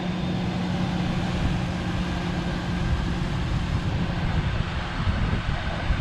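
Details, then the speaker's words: Ford F-150 4.2 V6 one year after repair of an engine noise: smooth, low, steady drone with a constant hum and no ticking or knocking; the noise has not returned and the truck runs and drives well. "still running still driving good the noise has not come back"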